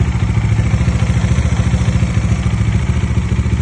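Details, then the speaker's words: Bajaj Dominar 400 at idle: fast even ticking about three a second over the engine beat, top-end tappet/shim noise typical past 30,000 km; valve train ticking, cause suspected, not confirmed. "இது வந்து domமினர் 400ல வந்த sound. So maximum வந்து Dominar series வச்சிருக்க எல்லாருக்குமே வந்து ஒரு வண்டி வந்து ஒரு 30,000 கலோமீட்டர் வந்து ஓடோ கிராஸ் பண்ணிருச்சு அப்படின்னா வந்து கண்டிப்பா இந்த சவுண்ட் வந்து பேஸ் பண்ணிருப்பீங்க."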